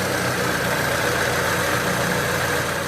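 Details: Supercharged EF Honda Civic, fully warmed up, idling with oil pressure around 20. Steady, even idle with smooth low rumble, faint supercharger whine, no knocks or misses; warm engine sounds healthy.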